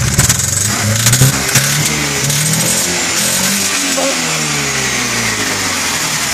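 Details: 2006 BMW E90 320si with the N45 engine, 160,000 km, cracked in the first and second cylinders. Revved up and dropped back several times with a slightly ragged, uneven note under the revs.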